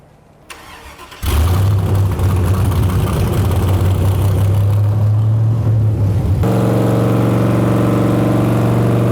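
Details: Aluminum-block 5.3 LS Chevrolet V8 for a 1999 Porsche 911 swap, full-throttle dyno pull at 24° timing, about 292 hp: fires up, steady drone, then deep climbing roar, clean and even with no misfire or stumble; normal.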